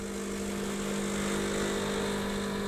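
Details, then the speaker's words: Milesto Eliane espresso machine with vibratory pump, fourth run continued until it cuts out by itself: steady strained buzz at one pitch with no flow change; pump straining against a blocked basket from too-fine coffee, deliberately overheated. "ketika over ekstrak nanti akan kayak gini nih Hai Cruise ind33 masih kuat ya valya Hebat nih kita lanjut sampai dia mati sendiri"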